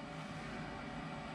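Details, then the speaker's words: Full-size residential gas furnace powered by Bluetti EB3A power station, start of heat cycle: steady low hum with even airy rush, no knocks or rattles; induced draft motor spinning up normally. "so hang on just one second okay the induced draft motor is starting hopefully you can hear that"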